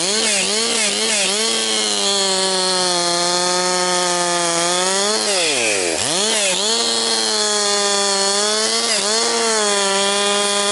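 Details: Rebuilt Husqvarna 262XP two-stroke chainsaw breaking in, compression up, bucking dry, partly rotten pine: clean high scream holds through cut, dips briefly under load, snaps right back; strong, healthy running under load.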